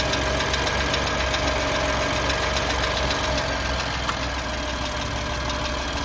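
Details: BMW M4 petrol engine at cold idle: light, fairly regular ticking over a steady hum, suspected lifter (tappet) noise; car went in for warranty repair because of this noise.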